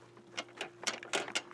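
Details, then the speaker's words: 1991 Chevy Lumina Euro 3.1: sharp, dry, irregular rattles from inside a door, engine off; something loose in there, cause unknown since the door card hasn't been removed. "inside of this door. I haven't pulled off that door card yet to see what it is, but there's something in there and I have no idea what it is."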